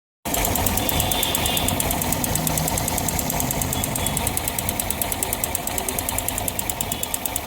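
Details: Yamaha FZS motorcycle engine running with a rapid, sharp ticking knock over the exhaust note, about four knocks a second; cause not identified. Engine knocking noise.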